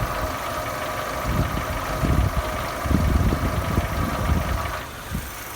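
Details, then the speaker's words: 2015 Nissan Almera G15 petrol, 111,000 km, at idle: irregular loose metallic rattle like a nut shaking loose, gone at higher rpm, worse after oil change to original Nissan oil; not clutch, owner suspects hydraulic lifters in cylinder one; unconfirmed. "Немножко задолбал звук болтающейся гайки где-то в двигателе. Думал, что сцепление, но это не то."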